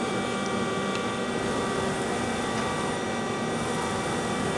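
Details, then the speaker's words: Used Mazak QTN 100 CNC lathe, manual axis movements at 120% feed: steady, even hum with clean servo tones as the slides move, no grinding or knocking. Looks and sounds good, rapids run a little faster in a program, axis feed normal. "Looks and sounds good. It goes a little bit faster on the rapid when the job runs."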